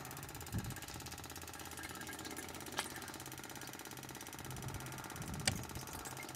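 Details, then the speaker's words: Small 1.5 kW stainless steel wrong-fuel separator on a test run before dispatch, pumping a diesel and petrol mix through; steady even mechanical whir with a fine regular tick, no knocks or surges; pump running normally. "everything's running there's a pump you can hit pumping running as well"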